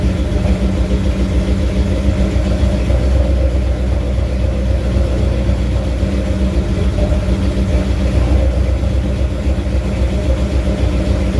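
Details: First startup of a carbureted 347 stroker with new pistons, bigger camshaft and better intake, reinstalled in a 1980 Ford F250: a deep, lumpy, choppy big-cam V8 idle, steady with no knocks or ticks. It got pretty hot; no temperature gauge.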